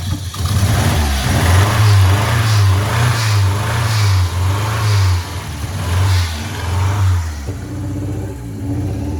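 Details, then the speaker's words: 1987 Ford Sierra Cosworth, first start after three years in storage, revving: uneven, lumpy beat with one pulse missing; cylinder 4 not firing even after swapping plugs, cylinders 1–3 firing. "No. Hang on. Still number 4. That's still number 4."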